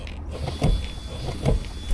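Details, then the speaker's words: 2024 Toyota Landcruiser 79 series 1GD four-cylinder auto, ABS pump run by scan tool during brake bleed after pad change at 30,000 km; low steady hum with irregular thumps and buzzes; normal ABS bleed cycling. "In its own way, it's pushing all the air to the bottom. So we can just crack it and get the air out the first time."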